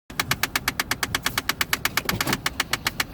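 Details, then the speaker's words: 2005 Jeep Grand Cherokee: rapid even plastic clicking from the center of the dash, about eight per second, from a failing heater blend door actuator that is about to be replaced. "you just heard that clicking noise that's exactly the problem we're trying to correct"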